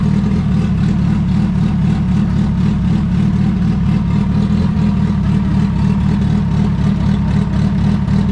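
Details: Turbo Honda Civic EF hatch, D16 engine with GTX3576R turbo, first start on new ECU map with ignition timing reset: loud, steady idle around 1000–1200 rpm, firm low rumble, no stumbling or hunting; idling properly.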